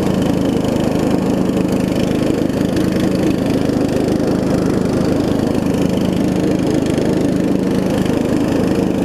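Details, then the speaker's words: Murray widebody riding mower with a 16.5 hp Briggs, after new carb, fuel lines and a valve adjustment: steady, even putter that idles down very low with no stumbles; a slight exhaust leak. Runs well. "Good, it idles down too. It idles down real low. It idles down really low. Runs really good too."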